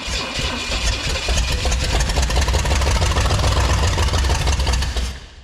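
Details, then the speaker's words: 1969 Pontiac GTO with a Pontiac 350, sat in a barn 35 years: starter cranks steadily with a few weak uneven catches that never run. Owner suspects very low compression, not confirmed. "But let's see where we can go with it. Come on. You got one more left in you. You got at least one. Come on. I hear it. I think it liked that. It's definitely hitting harder."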